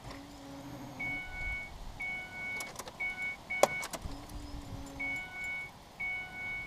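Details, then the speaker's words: 2005 Ford Escape after fuel filter install, battery being charged: key cycled several times, each giving about a one-second steady fuel pump hum over the dash chime; normal priming to build pressure. "Roll the key over a few times to let the pump get all pressured up."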